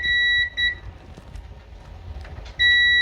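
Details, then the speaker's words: Electrolux/Frigidaire dryer that was not heating or shutting off: multimeter on continuity across the high-limit thermostat gives a steady beep, showing continuity, so the thermostat is good before the heating element is replaced. "You hear the beep, it's good."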